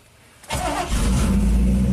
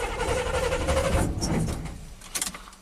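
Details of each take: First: 1987 GMC Sierra V8 plow truck after the distributor's spark module was removed, its base scraped clean and reinstalled: quick crank, catches at once and settles into a steady, even low rumble with no stumble. Healthy start; a bad ground at the module was suspected. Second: 1987 GMC Sierra V8 plow truck with throttle body injection: it fires and idles but runs rough and stalls within a second or two of throttle, as if starving for fuel.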